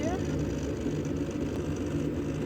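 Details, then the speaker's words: Gas furnace starting after the thermostat was raised about 2°: the inducer motor comes on first; steady low motor hum and even whir, no rattles or scraping; normal inducer motor startup. "All right, we've got our inducer loader going up here."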